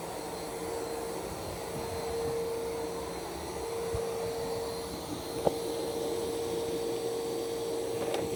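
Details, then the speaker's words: iRobot Roomba 515 (Plus 515 combo) starting a cleaning run: washing mop pads, with a quiet even suction whir and faint steady whine as the water pump then the dirty-water pump kicks on; normal operation. "It's going to wash the mop pads. You can hear kind of a water pump, and then you hear the dirty water pump kicking on."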